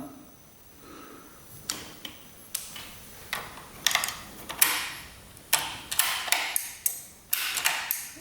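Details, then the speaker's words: Crashed Honda Ruckus scooter (stated as 2015 and 2018), fuses checked good: key on and start button pressed give sharp, dry, irregular clicks with no cranking and the blinkers dead. Starter relay chatter. "Clicks for a brief second. Hm. That's the start button."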